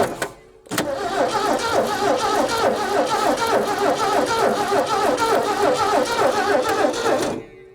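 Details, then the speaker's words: 1967 Ford F-100 being revived after sitting: starter turns the engine over evenly, three or four compressions a second for seven seconds, without catching; no fuel pressure yet. "Okay, I'm not getting any fuel pressure. Not yet."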